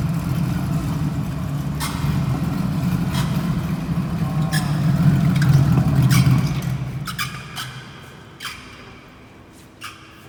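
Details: Honda Valkyrie motorcycle rolling: sharp squeaky clicks, roughly one a second, over a low rumble, from a bad wheel bearing.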